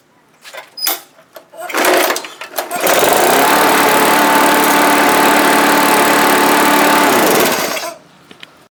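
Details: Tecumseh-powered Craftsman lawn mower that wouldn't start or stay running, after cleaning the carburetor main jet's tiny hole with a paperclip and carb cleaner: fires after a pull or two and holds a smooth, steady run; running normally.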